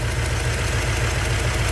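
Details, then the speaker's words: 383 stroker V8 in a truck after engine repair, warm, cooling fans rewired with diodes: deep steady even burbling idle, no ticks or knocks, getting smoother the longer it runs; a few exhaust leaks remain; normal idle. "longer this thing runs the smoother it gets more I like it"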